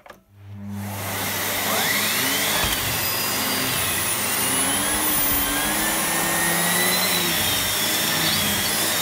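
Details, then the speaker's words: Miele Cat & Dog vacuum in for service. Steady motor rush with a thin, wavering high whistle from the hose swivel joint, a common fault on these hoses. "Their hose whistles a bit, and it's a notoriously common fault on these type of hoses."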